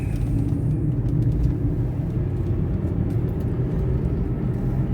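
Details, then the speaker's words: Taxi at cruising speed with a wheel bearing the driver says is getting worse and fears losing a wheel. Deep constant hum heavier than normal tyre roar, like a propeller plane sound effect in a movie; failing wheel bearing drone. "Don't you hear that? It sounds like a sound effect for a propeller plane in a movie. Oh, that's not good."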